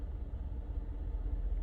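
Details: Mercedes G63 AMG V8 during engine health check, live values within spec, no misfires counted: smooth, steady low rumble with even firing, no knocks or misses; normal idle.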